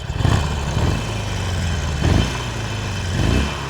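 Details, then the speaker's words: Harley-Davidson salvage motorcycle warm after about 20 minutes running, oil circulating: deep, even V-twin lope with gentle swells and no knocks or rattles; healthy idle. "It's been running now for about 20 minutes. It sounds beautiful. It really does sound lovely,"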